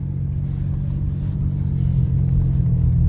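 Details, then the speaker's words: 2000 Ford Ranger, running much better, makeshift wired-up muffler fix on bad catalytic converter and muffler flanges, gauge at middle, about to drive: steady, even low engine and exhaust rumble with no knocks, rattles or leaks; running normally. "Let's go. Oh, it even sounds good too, doesn't it? Let's see if we can not lose a muffler here this time."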